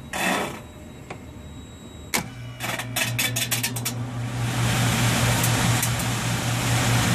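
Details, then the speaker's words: Old York package unit evaporator blower motor, unit not cooling: after switching clicks, spins up to a steady low hum with uneven rubbing scrape; suspected worn bearing losing alignment; motor later replaced. "sometimes you'll get there if the bearing in the motor is and it loses its alignment kind of but you know once it starts it's at a higher velocity starts working"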